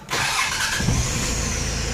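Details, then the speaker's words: 4D56 diesel engine (Pajero/L300/L200) after replacing the oil pressure sending unit: brief crank, catches at once and settles into a steady even idle with no knocks or misses; normal start, oil warning light should go off. "now we can start an engine and let's see so let's start our engine now"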